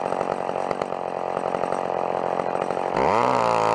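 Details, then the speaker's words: Old McCulloch chainsaw cutting wood at full throttle with the high-speed carb screw too far open: it loads down into a lumpy, uneven burble, then climbs once free. Bogging from an over-rich high-speed mixture. "like it was it was the high screw was quite aways open alright and it was really bogging"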